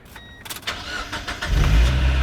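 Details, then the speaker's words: Mazda Miata after installing a used Flyin' Miata muffler, gasket fit uncertain, first start: quick catch, then steady, deep, even idle with low rumble and noticeably deeper reverberation; normal start-up and idle. "whoa it definitely was low it definitely was like a deeper sound wow oh wow this is quite deep"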